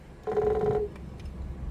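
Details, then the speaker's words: Fuel lift pump on a Case STX375 articulated tractor, powered directly with a Power Probe on its black wire: a short, steady electric buzz for about half a second, then it stops, so the lift pump runs normally. "if you guys can hear that but that is a lift pump"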